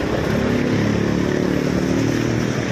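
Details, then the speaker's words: R180 engine after clutch repair with new lining, not yet tuned up: steady, even note at moderate revs, no knocks or clatter, now quiet; normal running. "Ito yung resulta mga kapawis. Tahimik na. Dito naman, gi-repair lang namin."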